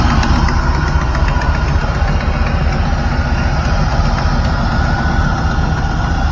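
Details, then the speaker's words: 1997 Camaro SS LT4 with Comp Cams CC503 cam and SLP long-tube headers, warming toward about 180–185°F operating temperature. Loud, lumpy idle with a sharp popping on each firing pulse from an exhaust leak felt by hand; a fix is planned next. "you hear that pop that popping sound is exhaustively we feel the pressure come on so I'll fix that next"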